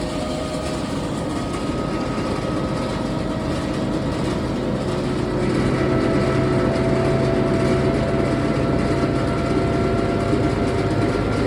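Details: 160 lb Unimac washer spinning up to 710 rpm (300 g): heavy rough rumbling roar from drum bearings under a year old, destroyed by underloading.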